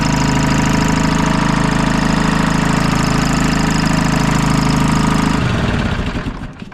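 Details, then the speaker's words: Detroit 2-53 two-stroke diesel on a GoPower DT2000 dyno with a new adapter, first run since last fall, before the driveshaft was attached: steady smooth low drone with no knocks or misses before winding down, idle turned up, healthy. "Okay guys, we're going to attach the drive shaft now, and I'm happy with that. Turned up the idle nice and smooth, and attach the drive shaft and see."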